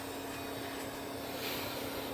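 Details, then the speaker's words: Power Macintosh G3 beige computer running, steady high-pitched whir with airy hiss; unidentified noise possibly from the lower half of the case, source not traced. "i don't know what that sound is or where it's even coming from"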